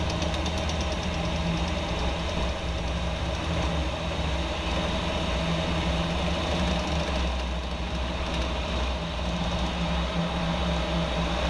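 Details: 2014 Jeep Wrangler JK idling steadily with a dull uneven knock underneath; rear driveshaft suspected, origin unconfirmed.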